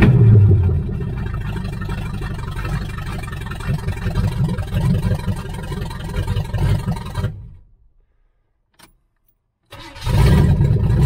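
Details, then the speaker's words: 1978 Chevy Nova V8, possibly a 305 two-barrel, abandoned for 25 years, open pipes: low, loud, lumpy idle before shutoff, with a slight shake. Runs on all cylinders; distributor wires rat-chewed, tune-up parts needed; owner rules out carburetor and distributor, cause unconfirmed. "I don't know, it's still got a little bit of a shake, but it seems to be running on all the cylinders."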